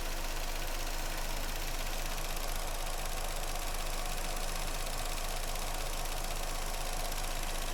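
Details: Vauxhall Astra four-cylinder after replacing the coil pack (cylinder 2 had been arcing): smooth, even idle with no stumble or skipped beats over nearly eight seconds; misfire gone, firing cleanly on all cylinders.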